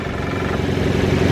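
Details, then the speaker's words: Car at a dealer auction, idling: a quick, light, tinny metallic chatter that is knock-like. It is a hood prop rod rattling, not the engine knocking. "yeah this one is all sweet but my last one did it because the hood prop was on in the wrong place"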